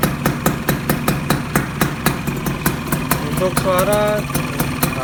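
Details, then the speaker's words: Yamaha Sigma two-stroke upgraded with an F1Z R engine, rebored to a 55 mm piston, still breaking in, started in the morning: even idle pulsing about four times a second, no knocks or rattles; the engine sounds smooth. "Suara mesinnya halus,"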